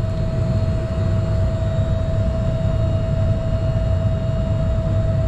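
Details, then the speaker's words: York packaged rooftop unit (two compressors, three contactors) serving 10-story building hallways, not cooling: steady fan hum over low rumble, no compressor start or contactor clack; compressors not running, apparently only the indoor fan. Cause not yet found. "compressors not running I hear something running I must be the indoor fan"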